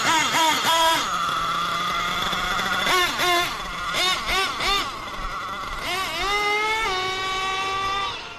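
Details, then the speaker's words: Nitro RC truck (LST) after carburetor tuning, engine temperature 225–230°F, pulls up and down the street: high clean buzz revving crisply and dropping straight back to steady idle; normal running, well tuned. "Look at that. She's running great, guys. Took us a minute to kind of hone it in, but here we are."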